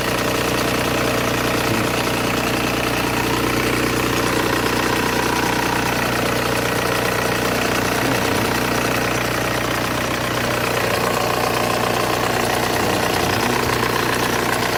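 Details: Volkswagen Golf 1.9 TDI diesel at idle: steady idle with a rattly knock about two and a half times a second, caused by excessive play in the power steering pump shaft.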